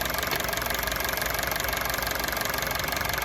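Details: Honda City on CNG/gas, after replacing a leaking injector that caused stumbling on gas, leak test passed: even steady idle with light regular tick, no stumble or hiss of escaping gas; normal idle.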